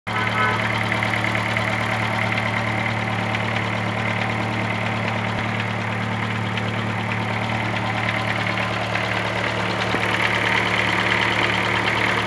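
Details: 2007 Chevrolet Celta Flex Power engine at idle: steady idle with quick, uneven ticking about three or four times a second; abnormal engine noise, cause unknown, owner asking what it could be.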